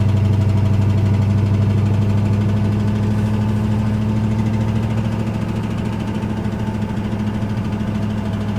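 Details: Ford Ranger with 302 5.0 V8 at idle, owner nursing it on the drive: deep, steady rumble with a dull, regular knock about three times a second, the worst it has knocked; rod knock.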